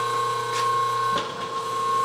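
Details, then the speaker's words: Steady electrical hum with brief mechanical swishes from a rotary phase converter running normally. It sits in the same room right next to a rebuilt Harrison M300 13x40 metal lathe and gets a bit noisy. "i've got my rotary phase converter it's in this same room right next to my lathe i haven't moved it yet it's going to be moved in the future but the phase converter gets a tad bit noisy"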